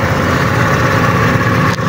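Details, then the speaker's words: GY6 150cc Microbike EXO150 after 24mm Keihin carb install, open carb with no air filter, choke not yet fitted: steady even idle with smooth low thrum, no knocks or misses; running cleanly. "So umi-start na yan mga kaboss amo. So yan kaboss amo, naka open carb pa yan, wala pa siyang air filter."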